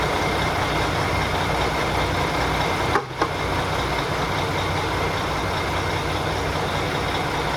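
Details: Mack Superliner diesel started after engine repair, following fuel priming with cracked injectors: steady, even idle with a deep rumble and a brief dip in noise. Normal diesel idle.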